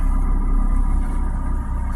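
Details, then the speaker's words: Recently bought 2008 PT Cruiser at a rough idle, with code P0301 (cylinder 1 misfire detected). The owner had already addressed the most common cause, so the cause is unconfirmed. Low, heavy rumble that dips and stumbles every so often instead of holding steady. "It says P0301, which is cylinder 1 misfire detected. So what I'm looking at here is that the cylinders are not firing properly, which is unfortunate."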